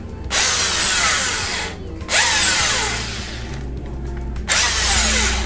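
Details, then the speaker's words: Bosch GSB 501 13mm drill on a series board: three loud, harsh bursts with visible spindle play, worse under pressure and when drilling. Traced to a worn needle bearing; the needle bearing and change-over switch are replaced. "Okay, यहाँ पे घूम रहा है लेकिन यहाँ पे थोड़ा play हो रहा है, यहाँ पे देखिए। और ये बहुत ज़ोर से आवाज़ भी कर रहा"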